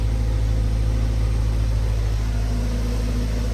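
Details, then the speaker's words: 2015 Subaru Forester after replacing the muffler with a Walker Quiet-Flow: steady, even low rumble with a smooth exhaust pulse on idle and rev, no rattles or puffing leaks, normal and quiet. Before the repair it was a loud putt-putt. "let me rev It Up sounds normal it's flowing guys it's working"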